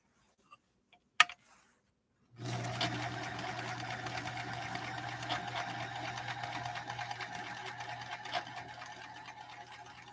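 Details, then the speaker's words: Sewing machine at first run after unboxing: quiet, even hum with a light steady patter, no grinding or metal-on-metal; fairly good condition, though an odor comes from the motor at the rear. "The machine, all in all, sounds like it's in fairly good condition. It doesn't sound like I'm hearing a lot of metal to metal."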